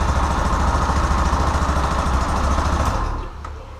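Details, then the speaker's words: Yamaha Fazer 250 after repair of an engine ticking noise, with a part replaced, valves and cam chain tensioner adjusted, engine like new: firm even single-cylinder thump about 3.5 beats per second with no knock, then shut off. Healthy. "O motor tá zerado agora."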